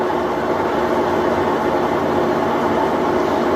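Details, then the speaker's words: 3-year-old Maytag washer (lid switch disabled for demo) reaching spin speed after draining, large-capacity tub: smooth, steady whooshing hum with no squeaks, squeals, knocks or wobble; normal, stable, balanced spin cycle. "This thing is a really large capacity, nice and smooth. No weird squeaks or squeals or anything like that, and it's nice and stable."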